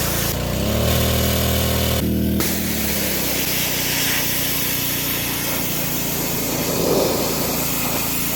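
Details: DeWalt DXP3123 pressure washer with Honda GSV170 engine, pawn-shop unit, after line purge: revving start settling into a steady, even drone under spray load, no stumbling; plenty of pressure, running normally.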